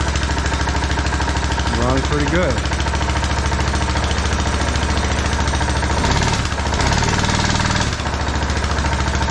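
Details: TrailMaster Mini XRX go-kart, starter gears lubed, on 2-amp charger, choke cable sticking: catches quickly, settles into steady putter without stumbling; clean start, even idle, though starter seems to drag.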